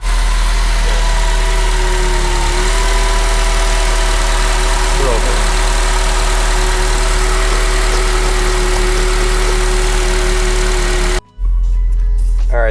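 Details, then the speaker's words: 2006 Acura RSX base 5-speed manual, 230k miles, original engine, transmission and clutch, just after slave cylinder replacement: steady idle with a thin constant whine; owner suspects the throw-out bearing. "so only thing we're worried about now is the potential throw out bearing has making a noise still"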